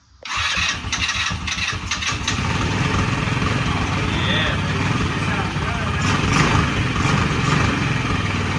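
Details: Yerf Dog Spider Box go-kart with GY6 engine, sitting for years, after intake fix, battery charge and refuel: brief crank, fires and settles into steady even putter with no misses; starts and idles normally.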